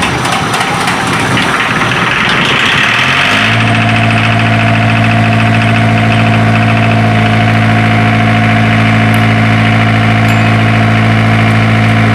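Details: Isuzu diesel generator engine after hard-starting troubleshooting: starter churns about three seconds, then it catches and settles into a steady, even idle with no misses; normal idle.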